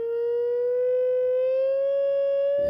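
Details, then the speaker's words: Rogers LS3/5a woofer from a badly overdriven speaker, test tone near 500 Hz: harsh, brassy, trombone-like gritty distortion; voice coil suspected overheated with cooked lamination and full of muck. "loads of distortion there. Sounds like a trombone. Really gritty."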